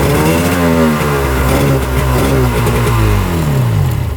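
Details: 1995 Tigershark Monaco 640cc two-stroke jet ski, unrun for over 20 years, started briefly without cooling water: crisp buzz rising and falling with throttle, picking up cleanly and running evenly without choke. Normal running.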